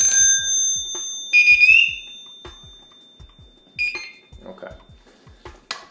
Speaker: After that, we'll go ahead and turn it on. We're gonna listen for the bell and we're gonna listen for the pass device.